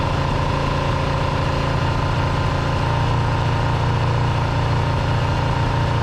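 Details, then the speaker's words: GPz400R four-cylinder track bike, first start, owner unsure HT leads/coils are on the right way round, fuel dripping from carb: low steady idle with slightly uneven exhaust beat; possible misfire. "okay so that was a good result um do you think that's a misfire do you think i've got maybe the htc laser on the wrong way around"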